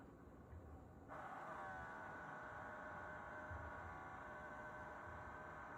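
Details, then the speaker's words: Levoit EverestAir air purifier bought 3/1/2024, one of six owned; fan off and vanes closed, yet a steady high thin whine with faint hiss persists whenever plugged in, stopping only when unplugged; abnormal electrical noise, cause unknown. "Unit is not flowing air. Veins are closed. You hear the noise. I'm documenting this problem because it's not normal on any of the other Everest air cleaners that I have in the house."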